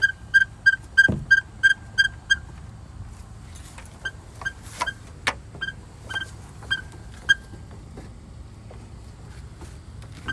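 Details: 2017 Nissan Maxima SR heard from inside the moving car: short, high-pitched squeaks chirping in uneven bursts over low road rumble. Intermittent cabin squeak of unknown source; owner can't pinpoint it.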